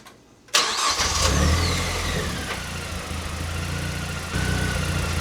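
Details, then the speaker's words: Mazdaspeed 3 revived after 6 years abandoned, power steering reservoir refilled with ATF: engine catches immediately, flares, then settles to an even idle; earlier rattle near the power steering pump from the empty reservoir is gone. "I still can't believe this thing starts and idles."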